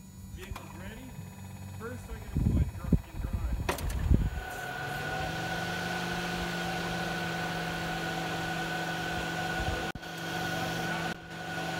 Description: 2020 Rav4 Hybrid or Electric Vehicles makes a pedestrian warning sound when going forward (up to 30 Km/hr) or when in reverse or back up (loudest) or parked.